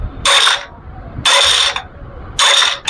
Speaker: गाड़ी वालों से किसी ने बोला कि इसका सेल्फ का वन वे ख़राब है, और इसका जो है फ्रेंड्स जो साउंड आ रहा है सेल्फ का वन वे ख़राब नहीं है।